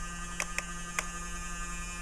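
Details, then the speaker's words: Dell Dimension E521 desktop (mid-2000s, NVIDIA chipset) at BIOS startup: steady low buzz droning over the fan noise with a few short clicks; owner hopes it's not a 60 Hz buzz; a loud, noisy fan. "wow that sounds really bad I hope that's not a 60 hertz bud"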